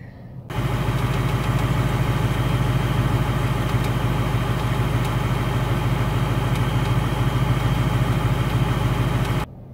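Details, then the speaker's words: 2019 Ford Mustang GT: steady low idle with a light fast tick, roughly three per second, appearing almost every start and audible parked from inside the cabin: the known engine tick. "unfortunately mine does have the engine tick it takes almost every single time I turn it on it starts ticking"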